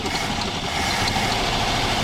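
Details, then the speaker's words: 1967 Ford Galaxie 500, 289 V8, first start in 35 years after revival: engine catches and holds a steady, even run with no knocks or stumbles, one small backfire noted; normal running. "that was like it cranked it cranked it fired it cranked it did everything we wanted it to do"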